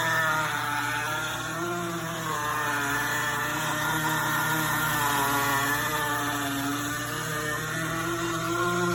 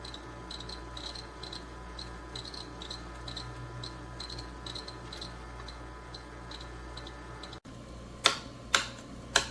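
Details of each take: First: GE Profile Opal 2.0 countertop nugget ice maker while making ice: a steady, fairly loud motor hum with a wavering mid-pitched drone, louder than usual; cause unclear. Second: GE Profile Opal 2.0 countertop nugget ice maker running: soft high chirps about twice a second over a faint hum, then a few sharp knocks; the owner says this chirping is normal and heard all the time.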